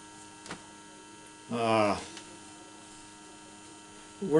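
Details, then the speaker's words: Car tube radio with tubes glowing and a light on: faint, steady vibrator buzz with no program audio output. "you can hear it buzzing maybe you can so I know how to you know I know how to take the vibrator apart now and get it going"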